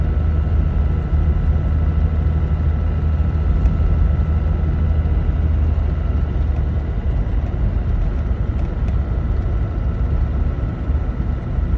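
Steady low diesel drone and road rumble inside the cab, with no ticking or screech from the speedometer cable.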